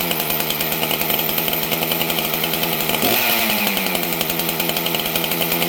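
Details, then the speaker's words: Chainsaw just started from full choke with a broken kill switch; a high, buzzy two-stroke scream holds steady with a slight rise near the end, running a little lean. "Okay, friends. This thing's a little bit lean."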